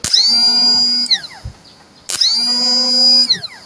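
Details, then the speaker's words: Replacement motorcycle starter motor bench-tested before fitting, two sharp bursts of high even whine spinning up instantly, holding a second, winding down; strong smooth starter, fixing a no-start on an electric-start-only bike without kick start. "นี่อันนี้แรงมากเลยนะครับเดี๋ยวเราก็จะประกอบเข้าไปเลย"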